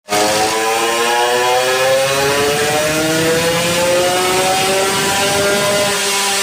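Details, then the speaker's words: Two-stroke bike pulling cleanly on the dyno after ignition timing reset on the Ignitech system, advanced past stock to 16°; crisp, even howl climbing in pitch under load with no stumbles, the misfire coming onto the pipe is gone. "as you saw yeah it's been a good result we got rid of that misfire"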